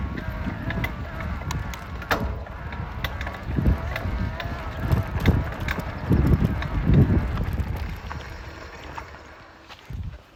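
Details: Specialized Levo e-bike drive unit clunking, clanking and creaking when pedalling and spinning, almost as bad with power off; irregular dull clunks and sharp clanks about once a second; cause not found.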